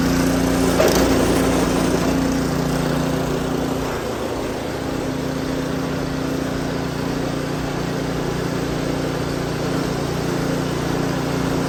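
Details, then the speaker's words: Snowblower small engine after adjusting the auger/drive cable to the next hole to stop the auger creeping: steady, even idle with a brief pitch dip around four seconds, then settles smoothly; fixed on the second try, normal running. "And just like that, we're back in business. So I got pretty lucky. It was fixed on the second try."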